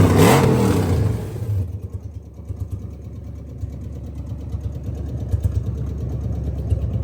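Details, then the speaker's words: 2001 Lexus IS300 with 1UZ V8 swap, automatic, first engine start after immobilizer reset and fuel line modifications: starts loud then settles into a steady even low rumble, no misfire or tapping; running great, a fuel injector possibly leaking. "and it's running freaking great so yeah everything's seems to be checking out pretty"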